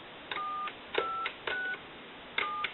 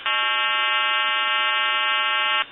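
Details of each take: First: Western Electric 2500 telephone after upgrade from a bad coil touch-tone keypad to an electronic keypad: clean, even two-note DTMF beeps, about a dozen presses; dials properly. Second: Western Electric 2500 telephone calling a time-and-temperature line: steady buzzing hum at one pitch for over two seconds then cuts off; blamed on the time-and-temperature service's equipment problems, not the phone.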